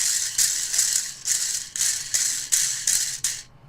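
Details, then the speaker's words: 3D-printed antenna rotator axle bearing for a 30 mm shaft, spun by hand: dry, clattering rattle in bursts about every half second; play reduced, 1.5 mm overall, but some remains, and the loose play rattles. "So, 1.5 mil overall. So, just got a little bit going on there. But, it does work."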